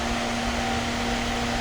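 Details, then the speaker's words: Revolt Motors diesel-electric Peterbilt truck, key on with coolant tanks for the whole system: steady even whoosh with a constant low hum, no wobble, rattle or bearing noise; electric cooling fans running normally. "pretty sick so those fans are on you've got coolant tanks up here with the water levels and stuff for the whole entire system"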